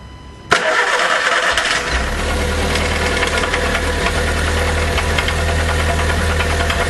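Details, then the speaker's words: VW Gol G5 2009/2010 1.0 8V flex EA111 starts and fast-idles with a hollow, regular knock under every revolution: rod knock from spun, worn rod bearings on the cylinder two connecting rod. "então eu vou lá da partida e vamos ver se a câmera consegue captar para vocês o barulho do motor"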